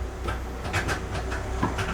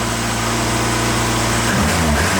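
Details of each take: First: Classic car under restoration, first crank after interior and instrument cluster reassembly, unstarted about 5 months, out of gear, likely no gasoline in it: uneven chugs, roughly four per second, never catches; cranks but does not start, no fuel suspected. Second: Classic car under restoration, after interior and instrument cluster reassembly, not run for about 5 months, little or no gasoline: loud steady engine note holds even with no stumbling or misses; engine running normally.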